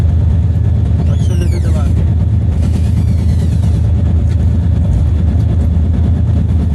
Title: Wheel bearing and brake noise